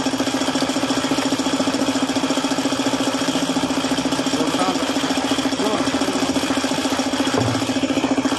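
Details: Suzuki F6A at idle: steady knock about three and a half per second; engine knocking caused by a failed oil pump starving the bearings.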